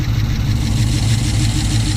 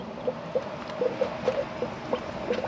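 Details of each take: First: 2006 Chrysler 300 SRT8 V8 after aftermarket camshaft install with non-stock lobe separation angle, untuned; deep idle with uneven loping pulse, shaking a little, needs tuning; lumpy performance cam idle. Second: 2006 Chrysler 300 SRT8 after camshaft install, engine off, bleeding the cooling system; irregular gurgling and spluttering as trapped air comes out of the coolant bleeder until a steady stream flows; trapped air in cooling system.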